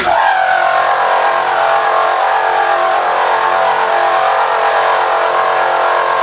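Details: Milling fixture plate with Niagara end mill, about three quarters through, power feed slowed to about 2.5: steady even hum with clear mid-pitched ring, no chatter; smooth, quiet cut.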